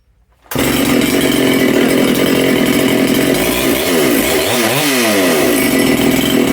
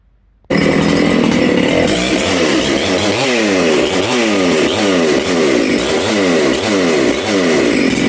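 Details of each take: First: Makita/Dolmar 7900 85cc chainsaw with a 54 mm big-bore top end, carb limiters removed, low jet just retuned, restart test: starts on the pull, runs crisp and steady, and revs up and down cleanly. Normal running. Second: Makita/Dolmar 7900 85cc 54mm big-bore chainsaw, carb limiters removed, needles started at one turn: revs rise and fall with burbly top end; low jet was lean, nearly died when leaned further, so richened.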